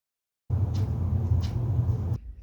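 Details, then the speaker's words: Scion tC EB60 manual transmission (swapped into an MR2 Spyder) input shaft support bearing, removed and spun by hand: rough grainy rumble-rattle, grease gone, unlike the new bearing that stops quickly; worn bearing. "Prying it off, you can see that there's no more grease left in there. When I spin it, it rattles compared to the new one, which stops quickly like a bearing"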